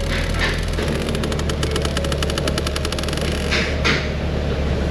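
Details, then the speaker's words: Car at idle with a previously unplugged HVAC actuator just reconnected: a fast run of ticks from behind the dash stops, then restarts. The actuator is clicking; a damaged door is suspected, and the scanner later shows mode door feedback codes. "Oh, there it goes again. This could have a damaged door or something like that, but we'll put the scanner on it and see what the data looks like."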